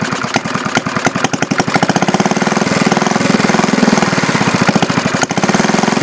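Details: 1951 Briggs & Stratton 6S single-cylinder engine being converted to a hit-and-miss engine, night start attempts: rough, lumpy thumping beats that surge as it tries to run; the owners conclude it isn't getting fuel.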